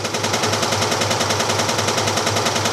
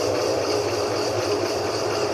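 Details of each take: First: GE 15 kg washing machine in spin: loud rapid banging, about three to four hits a second, as the tub swings and strikes the cabinet sides. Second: GE 15 kg washing machine that had been banging against the cabinet sides, after repair, at full spin speed. An even, steady whirr with no knocking against the sides; normal spin.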